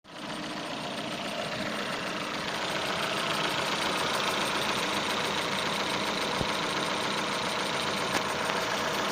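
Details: Datsun on-DO with a running engine: a thin, steady high whistle holds its pitch over the engine. This is a squealing alternator belt.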